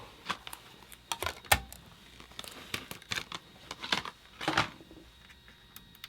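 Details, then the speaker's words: PS1 not reading discs, just after lens cleaned with IPA: sharp uneven clicks about ten per six seconds as the drive keeps re-seeking, laser too weak to read; fixed by adjusting laser pot from about 616–626 down to 496. "if you could hear the clicking noise previously that's an indication that the laser is just too weak"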